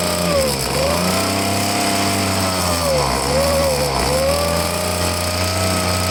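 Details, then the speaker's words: Handheld blower, choked, running rough: whine wavers and dips and never reaches full revs; owner says it's no good and plans to take the carburetor apart. "It's no good. Alright, it's no good. I'm gonna have to take the carburetor apart and see what's going on with it."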